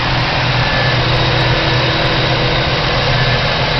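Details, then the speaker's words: 1985 Pontiac Trans Am, 305 TPI V8, just bought, mass airflow sensor missing: loud steady idle with faintly uneven, lumpy beat; rough idle, hesitates on light throttle below 1500 rpm, pulls fine above; owner suspects missing MAF. "It runs decent, however, without the I fear without the mass airflow sensor, it's not running right. It runs a little rough."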